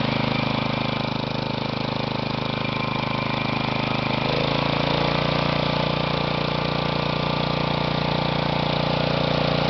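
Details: Used Kohler Magnum 16 hp single-cylinder engine, K361 block, for a Bolens 1256: thumping idle with an uneven beat that shifts pitch midway; rough, likely needs carburettor adjustment.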